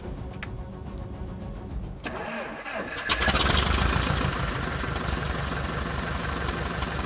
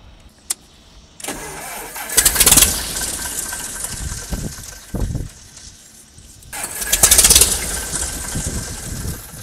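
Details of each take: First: Kit plane engine not run in over 14 years, first start after months of work: quiet, then catches after a couple of seconds and settles into steady, even running with strong prop roar, no misses; good oil pressure, no fuel pressure shown; normal start. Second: Freedom kit plane engine restarted after 14 years unrun, boost pump off to test mechanical fuel pump: two brief rough firing bursts each dying within seconds; suspected fuel supply problem or air pocket, not confirmed.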